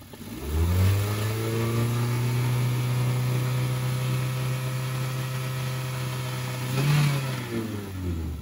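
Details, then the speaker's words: 2012 car being checked for radiator coolant loss and overheating: engine revved, climbs smoothly from idle, holds steady high rev, blips once and settles, no knocks or rattles. Normal engine revving. "oke suaranya 2012 masih seperti ini guys"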